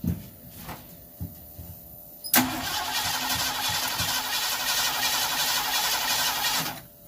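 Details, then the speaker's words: Ranchero 351 Cleveland, off the road 20 years, spark restored after plugs found disconnected: clicks, then steady cranking about four seconds without catching; apparently no fuel from auxiliary fuel tank system with electric pump; crank no start, fuel starvation. "then we realized that we had spark and it seemed like we were getting no fuel and so then we started digging into my auxiliary fuel tank system to try to figure that out why we weren't getting any fuel"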